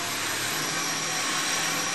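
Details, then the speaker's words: 2001 Subaru Outback H6 VDC after replacing a dried-out power steering hose O-ring that let air in and caused an intermittent whine. Engine running, wheel turned: steady even hiss with no whine or groan, so normal power steering operation. "I don't I don't hear anything really abnormal."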